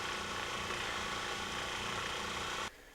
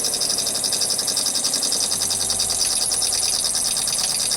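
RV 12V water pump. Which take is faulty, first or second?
second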